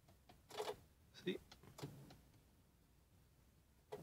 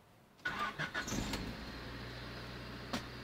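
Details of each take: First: 1994 Honda Civic coupe, daily driver: short cranking bursts, dash lights dim, then the engine catches briefly and fades out instead of settling. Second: 1994 Honda Civic coupe after replacing the ignition switch with a junkyard part: a few seconds of cranking, then it catches cleanly and settles into a smooth, even idle with a steady low hum; normal start and idle.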